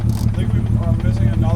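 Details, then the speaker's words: 1998 BMW M3 with S52 engine and Clutch Masters FX25 twin-disc clutch: heavy, lumpy exhaust with an uneven, stumbling beat at low revs as the misfire worsens and another cylinder drops out; check engine light not flashing; cause unconfirmed. "Yeah, we lost another cylinder."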